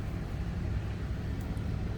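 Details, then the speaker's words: 1978 Cadillac Eldorado Biarritz V8: starts easily and idles with a low, even rumble and steady beat, no knocks or ticks; runs smooth and sounds good. "So easily that starts and runs smooth, sounds good."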